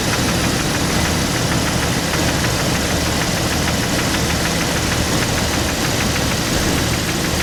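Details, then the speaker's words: Rough idle with misfire codes P0300, P0304 and P0320 after spark plugs replaced again, old coil pack fitted: loud, uneven idle with rapid light knocking inside the engine and a stumbling misfire beat; cause of the knock unknown. "so guys I don't know if you can hear that it's like a knocking sound inside the engine I just went ahead and replace all the spark plugs again this is with my old coil pack anybody know what the knocking sound might be"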